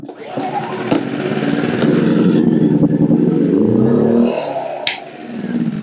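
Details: WEN 2000 watt inverter generator, one year old, no-start fixed by clearing a clogged spark arrestor; first start on choke catches, revs, hunts roughly, sags near stalling then recovers; cold start on choke.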